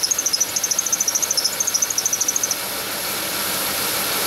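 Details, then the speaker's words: Chevy Venture van, engine running: sharp high chirp about three times a second cuts out as soon as WD-40 is sprayed on the idler pulley below the air pump pulley, confirming the front-most idler pulley bearing is bad. "but judging from where the sounds coming from I think it's the idler pulley directly below this air pump pulley right here"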